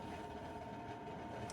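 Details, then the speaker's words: Camper furnace, breaker repeatedly tripping, fan seemingly under too much load: steady rough loud droning whir near 900 Hz, getting noisier before shutting off; noisy blower fan. "then the Fang would get noisier and noisier and then uh just shut off again"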